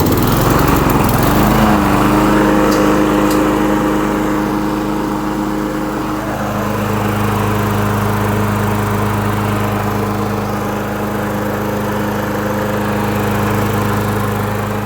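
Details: 1990s John Deere self-propelled mower with an old Briggs & Stratton engine, after cleaning the original carburetor and reassembling it correctly: the small single-cylinder engine settles into a steady, even run with no misses, surging or knocking; healthy.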